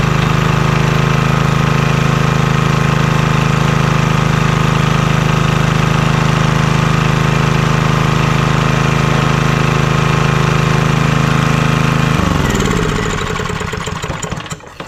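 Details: Vintage Homelite generator, probably late 1970s, unused about 30 years, restarted with little work: steady even low hum with regular beat, no knocks or misses, then runs down and stops; normal running.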